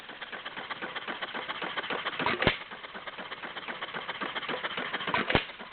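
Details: Warm Stover CT-2 hit-and-miss engine, 2–2.5 hp, choke fully open, about 500 RPM by tachometer: slow, uneven chuffing firing beats with pauses between power strokes, very little smoke; steady hit-and-miss rhythm, running well.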